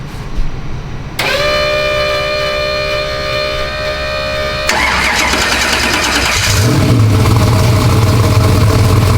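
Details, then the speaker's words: Race car with an LS V8, Holley dash and push-button start: the starter cranks a few seconds, then the V8 catches and settles into a loud, lumpy but steady idle. It runs fine. "She's alive. Runs. So excited about that."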